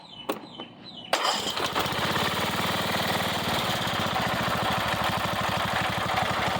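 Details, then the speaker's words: Craftsman riding mower, small single-cylinder, bought for $25 after sitting a long time; previously ran only on starting fluid, carburetor gone through and new filters fitted. A few clicks, then catches and settles into an even, steady chug; runs healthy. "So, yep, it all runs and works now."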